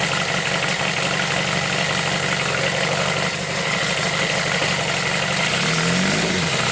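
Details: Homemade four-cylinder CD125four engine built from a Monkey, indoor start test with mic level lowered; pistons lack oil rings, so oil rises; loud, busy, even idle with a small blip near the end, no knocks.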